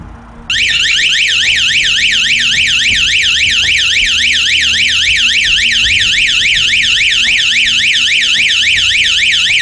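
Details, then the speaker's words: 12-volt outdoor motion-sensor alarm siren, one of four tested, powered by hand-held connections: loud, continuous rising and falling electronic wail at about three or four sweeps a second. Not as loud as the previous siren; normal operation. "okay that's not near as loud it's different but it's not near as loud"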